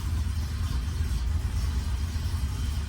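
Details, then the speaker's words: 1990 Volvo 240 DL after crank-no-start fix: steady, even low idle rumble with no knocks, misses or stumbles; engine running smoothly. "you see that they're running my boy is running"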